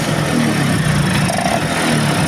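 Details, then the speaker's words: Vespa Excel two-stroke at idle after the engine rebuild, with the magneto and stator refitted and the same carb: a light, fast ticking rattle rides on the engine note. The rattle clearly comes from the clutch. "Nah, ini teman-teman suara etek etek itu terdengar jelas ya. Itu dari bagian kopling ya teman-teman ya."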